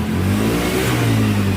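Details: Honda Vario 110 that had lost ignition with the battery disconnected, now starting without a battery after repair: a steady, even rev with a clean note and no misses. The charging output is checked normal with the original regulator kept.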